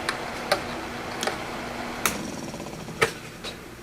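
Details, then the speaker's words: Old three-fan window fan, one fan not spinning: steady faint hum with uneven sharp ticks about once a second from a running fan; ticking noise, sounds dry or rough, cleaning planned. "And that one doesn't sound so good. So what we're going to do is take this apart, take the fans apart and clean them."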